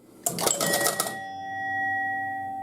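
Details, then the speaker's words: 1971 Gottlieb Home Run pinball machine: a double with a runner on first gives about a second of quick relay clatter, then a clean chime that holds and fades; the runner goes to third and the batter to second, so scoring works correctly. "That worked perfect, yeah. Because guy on first ran to third, and then the double ended up on second. So everything's working"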